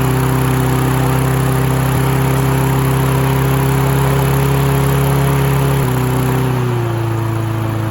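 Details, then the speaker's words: Free Husqvarna mower (throttle cable missing) running after cleaning caked debris, let run in yard to clear carburetor: fast, steady single-cylinder buzz held well above normal idle, never settling; idle needs adjusting, carburetor to be taken apart next. "Okay, we definitely need to adjust the idle. I think it's time we get that carburetor apart and check it out."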